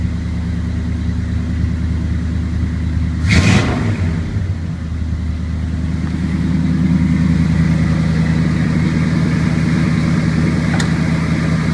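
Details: 1981 Chevrolet K10 with 350 small-block after HEI tune-up (new cap, rotor, timing recurve kit, new coil and ignition module): V8 fires up into a steady, deep, even idle with no misfires; ignition working properly.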